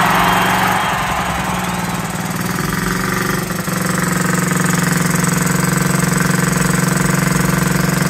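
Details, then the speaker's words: 1969–70 Honda Z50, first start after about 35 years: steady, slightly lumpy idle with a soft burble; running rich, with the carburetor slide needle suspected to be set too high. "guys really running rich and my guess if I can guess is that um the slide needle is up too high"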